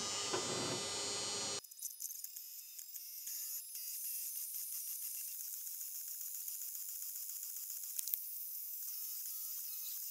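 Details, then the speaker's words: Creality K2 Plus 3D printer after heating block replacement, first print: thin high-pitched buzz and rapid rattle about four per second over motor chatter from the model cooling fan, suspected damaged along with the old block. "You can hear this strange noise. This is from a model fan and um I assume this fan was damaged as well because of that."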